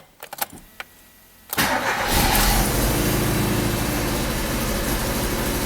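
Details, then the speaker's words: 1994 Alfa Romeo 33 Imola 1.4 L 90 hp fuel-injected boxer, cold after sitting: catches after brief crank, then rough, shaky, high stumbling idle with lumpy beat; misfire from bad spark plug leads, ignition coil also checked. "can you hear it already the engine is kind of rough it's it's stain a long time can you see the the shakiness"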